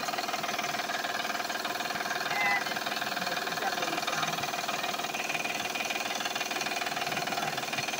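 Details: Van at quiet idle, oil changed last month, noise also heard accelerating: light regular ticking-knock about four a second from the front belt drive; belts are loose, not the engine.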